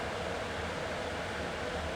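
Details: B&Q 7-litre digital air cooler after repair, with the cold-air water section on, drawing water through a filter: steady, even airy whoosh with no rattle, scrape or speed hunting. Fan and pump are running normally.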